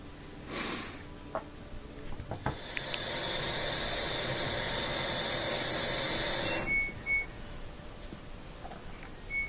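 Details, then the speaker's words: LG washing machine that won't drain (may show OE error): drain pump runs a steady droning hum with a thin high whine for about four seconds then cuts off, little water moving as the impeller breaks free; failing drain motor. "Here's the sound of that drain motor again. You can hear a little bit of water moving, so sometimes it actually works for a second or two, and then the impeller breaks free again from t"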